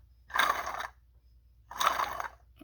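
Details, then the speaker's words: Toyota RAV4 water pump, probably original, removed and spun by hand: two short gritty rasping bursts from the loose shaft; the bearing is worn out, causing the engine noise. "That's bad. See how loose that is? See, the bearing is gone."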